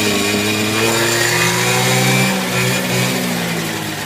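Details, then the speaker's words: Peugeot Speedfight two-stroke scooter in a cold workshop, kick-started after fuel filter work: crisp, even buzz that holds steady and drops back cleanly with no misfire or stumble; normal revving. "wow well that's kick start that's not bad at all is it"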